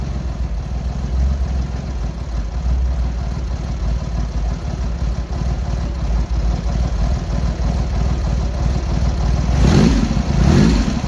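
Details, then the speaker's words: Triumph Hurricane X75 triple with rebuilt carb rack just refitted, first start after priming and half choke: even, steady low-rev beat with a brief throttle blip, no stumbles; smooth across all cylinders, throttle stop screw not yet set. "Right, there you go. Sounded good to me. Really nice and smooth across all the cylinders."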